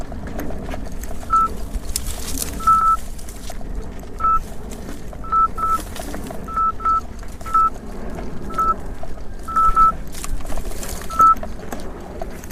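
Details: 84 V Nikola electric unicycle on a hard rough-trail climb, alarm audio via Bluetooth: short high beeps in irregular pairs and singles over riding and wind noise, the overcurrent warning under heavy load. MOSFETs later blew.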